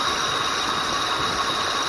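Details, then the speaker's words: 2007 Ford Explorer XLT, 4.6L 3-valve V8, about 110k miles, running at idle, heard from the passenger side: a thin, steady high-pitched whine, abnormal for this car, that rose with rpm. The lower grooved idler pulley was seen wobbling and its bearing was worn. "I'm not sure if it's coming through on the audio, but here standing next to this definite whine that's not normal for this car."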